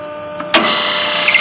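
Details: 460–480 V three-phase exhaust fan motor that reportedly never worked, voltage good on all three legs. It starts with a sudden harsh buzz and strained whine, then holds steady. The earlier amp draw was fine, and seized motor bearings are suspected.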